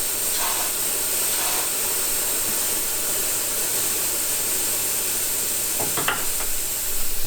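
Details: SAAB 9-5 Aero with rear-wheel-drive conversion, intake and turbo system pressurized with a compressor for leak testing: loud continuous airy hiss over handling knocks, a major boost leak blowing straight out on the underside of the pipe.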